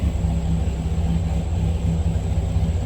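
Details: 2004 Dodge Ram SRT-10, V10, six-speed manual, 44,661 miles, push-button start: deep, even low rumble with a steady pulse and no ticks or knocks; the V10 idles smoothly and healthy.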